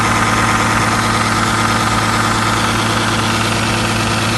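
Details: 2008 Dodge Charger 3.5L, just after valve cover gasket replacement, checked for leaks: smooth, even idle hum with a steady low beat, no ticking, hiss or stumble; engine sounds healthy, no leaks seen.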